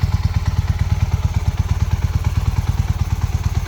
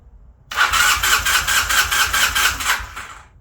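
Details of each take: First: 1981 Honda CM400, sitting since 2000, after restoration and ride: deep, even exhaust thump at a steady rate, no clatter or misfire; pulls and runs great. Normal running. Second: 1981 Honda CM400, sitting since 2000, after swapping the failed ignition coil for a known good one: starter chugs quickly and evenly for about 2.5 seconds but never catches; still weak, intermittent spark, corroded flywheel pickup contacts. No-start.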